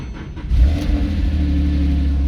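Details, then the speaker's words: Salvage Porsche 997.2 GTS, 6-speed manual, just after start-up: the engine catches and settles into a steady, even deep rumble with no knocking or ticking. Error codes are suspension-related. Normal engine start, with a squeaky belt noticed afterward. "sweet not worried about any of the error codes it's all suspension related uh the motor sounds good"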